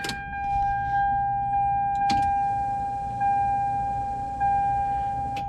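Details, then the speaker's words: Toyota Supra after rewiring, at key-on before first startup: steady, clean mid-pitched hum holds evenly for several seconds with no surging or rattle; the fuel pump primes normally. "sit on the floor here should hear the fuel pump prime real quick"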